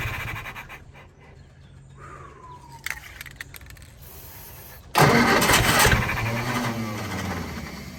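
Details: Willys-powered Army skid generator, electric fuel pump running: quiet cranking clicks, then fires and roars briefly around five seconds before dying; runs on prime but not its own fuel, owner suspects clogged carburetor.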